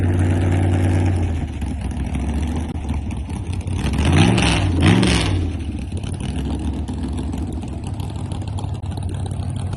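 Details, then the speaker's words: Freshly assembled race car on its first ride after sitting for months; idles, then on quick revs pitch climbs and sags twice instead of pulling clean, very bad lean stumble at the carburetor primary-to-secondary transition. "The um transition between primary and secondary, if you understand carburetors, uh it was a very bad lean stumble. So, I was having a hard time even just revving the car,"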